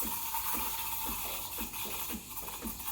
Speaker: That hissing sound is what creates that thick, bubbly texture.